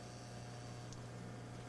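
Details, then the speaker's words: RCA RP-3740A CD clock radio, trying to play a CD: constant low electrical buzz, owner suspects the power transformer, with the backlight dimming and the unit reporting no disc. "Yeah. Making noises to me that suggest it's not working. Hear a buzzing noise."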